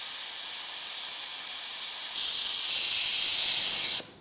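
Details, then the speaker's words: Electric MGA conversion during vacuum filling of the battery-box coolant system: a steady high airy hiss for about four seconds, then a sharp cutoff, from air leaking at a coolant fitting. The fittings are to be resealed. "so I don't know if you can hear it but we got a small hiss back here so we're going to go ahead and reeal these and try again"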